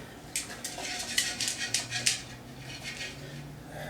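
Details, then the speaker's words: 1990 Mazda Miata exhaust system (cat to muffler) off the car and shaken: bright metallic clattering bursts from something loose rattling inside the muffler. "okay so here's what you might be able to hear there is something rattling around in this"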